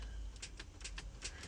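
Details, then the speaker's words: Old-model Chrysler Pacifica with the 4.0-liter 24-valve engine, which had been sitting; the battery shows voltage but the lights dim. About six sharp clicks, roughly five a second, with no cranking; a bad starter is suspected but not confirmed. "that click simulates or or sounds like the starter is trying to start we very well could have a starter we very well could have a starter going whack on this car"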